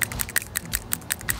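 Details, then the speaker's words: Cleaned PCV valve from a VQ35DE engine (2010 Nissan Murano LE, about 125,000–130,000 miles) shaken by hand: crisp light clicks about five or six a second as the check ball rattles freely, so the valve is working. "can hear the rattle a lot better"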